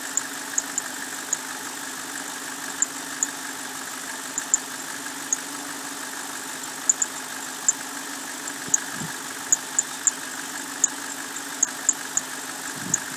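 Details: BMW 545i idling: steady low hum with faint, uneven ticks every couple of seconds; rough idle, cause not stated.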